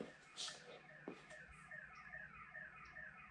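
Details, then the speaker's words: 1991 Foxbody Mustang notchback: faint repeating electronic chirps and warbling tones, alarm going off randomly all day though car starts fine; owner suspects aftermarket alarm wiring. Car alarm sounding randomly. "sounds like the alarm's having a fit it's actually been going off randomly all day"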